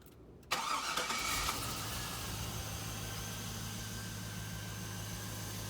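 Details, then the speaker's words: Stock 5.3 LS V8 with 4L60E swap, first cold start of the day: starter whirs briefly after a short prime, catches at once and settles into a steady smooth idle without throttle; healthy. "That was the first startup of the day. You ain't gotta hit the gas. You don't have to."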